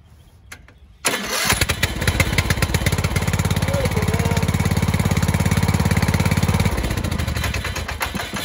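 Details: Borrowed lawnmower that was hard to start, fired up after repair work with the spark plug removed and refitted; a brief crank, then it catches at once into an even, steady thumping run and starts easily.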